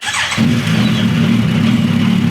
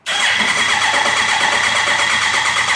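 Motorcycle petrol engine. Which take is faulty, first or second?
second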